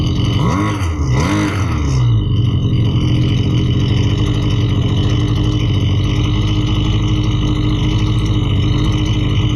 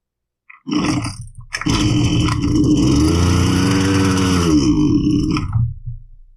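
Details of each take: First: Husqvarna 329L string trimmer, customer complaint of bogging and not staying running, test run after carburetor reassembly: a couple of quick blips, then the two-stroke settles into a steady, even run without bogging or surging, running properly. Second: Husqvarna 329L two-stroke string trimmer with fresh fuel, test run after priming: it fires, runs briefly with a sagging, wavering pitch, then bogs and dies as if out of fuel. The cause is a loose carburetor intake insulator leaking the crankcase pulse.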